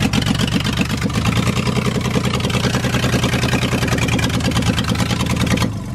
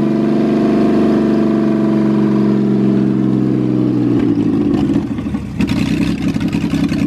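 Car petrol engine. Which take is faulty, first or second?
first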